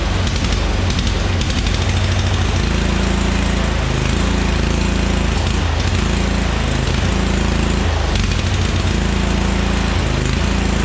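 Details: Murray Select riding mower, 13.5 hp Briggs & Stratton, long unused, bottle-fed fuel: loud low uneven thumping with brief stumbles and smoke from two-stroke oil; flooding from carburetor, needs carb cleaning.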